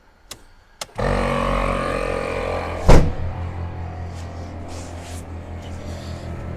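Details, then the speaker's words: Toyota 80 Series Land Cruiser after front axle rebuild, propshaft removed, testing air lockers: small electric compressor hums steadily, single clunk as both lockers engage, then even run; compressor and lockers working normally. "and um you hear it's still cycling cuz see there we go they're both locked in"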